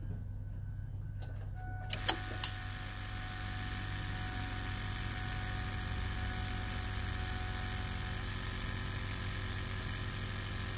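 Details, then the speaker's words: 1999 Ford F-350 7.3 Powerstroke diesel, 6-speed 2WD, AMSOIL 5W30 oil, first start after a year's storage through winter: a couple of clicks, then it fires first try and settles into an even diesel idle, no knocks or misses. "first turn first try guys"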